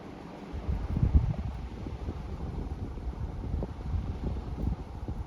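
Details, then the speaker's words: Older Saga Crown Colony four-wood-blade ceiling fan on high speed, no reverse option, wobbles on all speeds: steady low whoosh of moving air, no ticking, scraping or rattle; runs fast and healthy. "Absolutely flies. Moves a ton of air."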